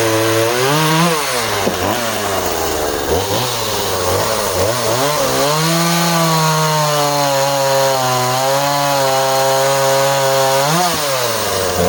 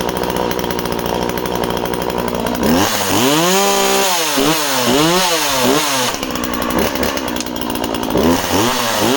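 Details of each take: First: Husqvarna 136 project chainsaw cutting small softwood: high, hard-revving buzz whose pitch sags as the chain bites, then recovers; cuts cleanly, though slightly lean-sounding at the end of the cut. Owner suspects the carb needs going through. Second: Project chainsaw, a Husqvarna 136 or Skil 1644, two-stroke: starts and runs well, revving in quick bursts to a sharp, slightly thin high note; owner suspects it is a touch lean and may richen the carb slightly.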